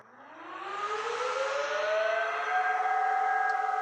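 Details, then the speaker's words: IBM System x3650 M2 enterprise server (2010), restoration first power-on: fans spin up with a rising whine to a loud, steady high-pitched howl at full tilt, not throttling back; then the machine shut itself off showing F4, then BRD. "loud wasn't going to be that simple fan spun up Full Tilt messages you saw on the screen and it turned itself off and said F4"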